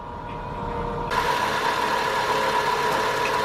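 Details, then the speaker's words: 2000 Nissan Maxima at idle after P0505 idle air control repair: steady high whine over idle, pitch unchanged with steering; idler pulley or AC compressor clutch pulley bearing suspected, not the compressor itself. "okay it looks like that noise is coming from down there looks like either the idle pulley or the AC compressor clutch pulley all right not that not that doesn't mean that the AC compressor is no good just mean that the pulley or bearings is no good"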